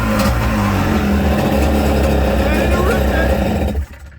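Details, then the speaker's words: 1984 Kawasaki JS550 two-stroke jet ski after the corroded starter switch electrodes were cleaned of saltwater corrosion: catches and runs strong and even with a crisp buzzy note, then shuts off cleanly; normal start and run. "Right, so we managed to get it started, as you can see."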